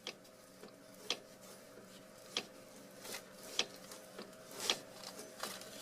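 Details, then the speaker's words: 2004 Honda Element, outer tie rod end with cracked boot letting dust in, car on ground, rod twisted by hand: sharp dry clicks about once a second; clicks when driving too; worn tie rod end, to be replaced. "I'm just twisting the rod by itself back and forth, and now you heard the little click click. So this is the problem."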